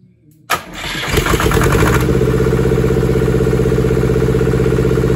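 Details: German air-cooled Deutz F2L511 two-cylinder diesel, ex-forklift, sat about 5 years in a barn: after cranking with no fuel at first, brief crank then it catches at once and settles into a steady, even idle; starts and runs fine.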